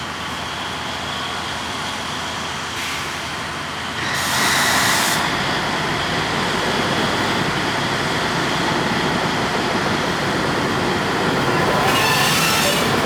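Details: 1953 GE 80-ton long-frame diesel locomotive, last run 1998 by the Navy, just revived after connecting the contactor coil wires: steady roar with electric whine swelling as it loads up and pulls away; runs normally, forward and reverse. Air throttle has dead spots, likely loose wiring.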